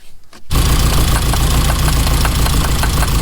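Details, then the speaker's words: 1987 car running on old fuel, one cylinder previously not firing; lumpy, stumbling idle, owner thinks injectors were a little stuck, now running on all 4 cylinders; rough idle. "Apart from running like a little bit rough because of the old fuel, it's ready to go in the garage."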